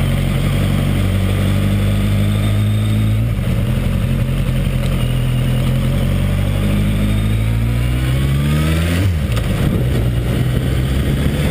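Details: Suzuki 1200 Bandit: faint extra noise over a deep steady idle at startup, with a slight rev blip near the end; cause unclear.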